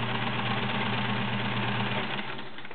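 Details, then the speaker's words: Kenmore Model 1774 sewing machine, 1.2 A motor, sewing through three layers of garment leather: smooth even hum, steady stitch rhythm, no knocks or rattles; healthy under load. "but there you go running smooth as silk with a beautiful Stitch through three layers of garment leather very very nice"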